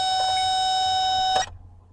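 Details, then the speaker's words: 2008 Honda Civic towed in with no crank, no start and a new battery: a steady high beep from the test probe for about a second and a half shows 11.5 V reaching the starter, so the starter is faulty and needs replacing. "so there is power going to the starter so we know that the problem is now the starter on this vehicle"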